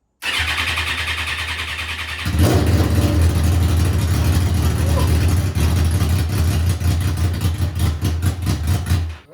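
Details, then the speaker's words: Buggy engine with eight injectors, one injector broken off and awaiting replacement, first start after fueling, no coolant yet: catches and runs lumpy and uneven with a stumbling beat; missing injector suspected. "well it started might be that uh Missing injector I guess I gotta wait for that injector"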